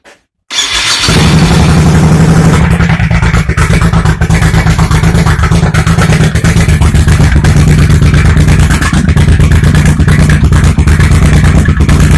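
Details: 1987 Honda VT1100 Shadow V-twin, carbs cleaned and plugs replaced, cold start on choke in garage: loud lumpy idle with uneven pops from the front cylinder exhaust; owner suspects carb sync or exhaust gasket; exhaust popping.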